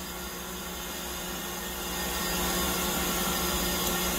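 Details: New AAON heat pump unit, microphone at the panel holding the reversing (changeover) valve, compressor hum notch-filtered out: steady loud rushing hiss of hot gas bypassing nearly 100% through the failed reversing valve, which gets 24 V and clicks.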